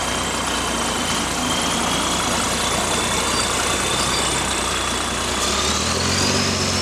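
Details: GAL WVL464 bus diesel idling with a fast, uneven puffing tick and a hissy edge riding over it; exhaust leak.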